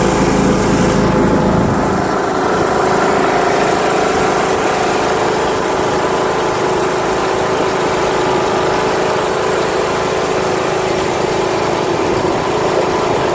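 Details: John Deere L100 lawn tractor, Briggs 1742 engine, driving around the block with mower deck installed: even smooth single-cylinder hum at steady speed, no misses, knocks or rattles, starts well, little vibration; normal running.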